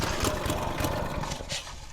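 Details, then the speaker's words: Old Lazy Boy 5 chain drive tiller after switching the throttle to fast. A rough recoil pull gives a few quick sputtering firings that die out; the engine almost catches but won't keep running. It started later after being set to run. "Almost. We almost there."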